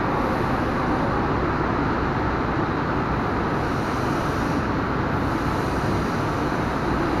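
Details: Isuzu 4HG1 diesel truck engine knocking with blow-by: loud, rough running, heavy knocking clatter under a dense, rushing roar.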